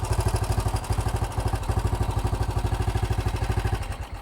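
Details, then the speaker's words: Old BSA with starting problems, after turning up the idle screw and setting the carburettor mixture screw: steady thumping single-cylinder idle about three beats a second, holding on its own; idling healthily. "give it a BP sounds pretty good that sounds much better"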